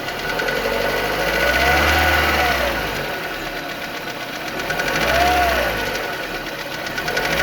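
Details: Renault Megane 2 engine running with a rising and falling drone and a faint knock underneath; something knocking inside, cause not identified.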